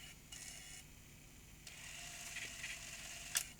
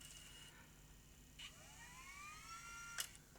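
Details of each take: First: Tascam DA30 MkII DAT recorder after reseating the slipped, slack capstan drive belt on its gear; light even whirring and clicking of the tape transport in fast forward and play, no slipping or stalling, working normally. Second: Tascam DA30 MkII DAT recorder, no take-up, rewind or fast forward; faint motor whine climbs and levels while reels stay still, no tape retraction, reel drive toothed belt slipped off.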